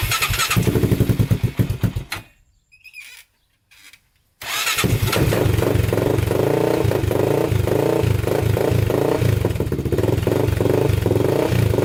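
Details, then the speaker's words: 1999 Honda 400ex single-cylinder after rebuild, unstarted for two days, choke on: a few cranking pulses, brief pause, then catches into a steady, even idle with no smoke. Normal start and idle. "man that sounds good no smoke coming out the back so we're still good there sounds really good"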